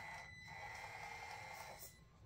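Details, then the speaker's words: Traxxas TRX-4M (Bronco/Defender) RC crawler crawling slowly in low-range gears: the stock ESC gives a loud, steady high-pitched beeping whine throughout, which the owner finds annoying and may replace. "as you can hear the ESC is really loud it makes a beeping noise just sort of a whine and I just that sound gets really annoying"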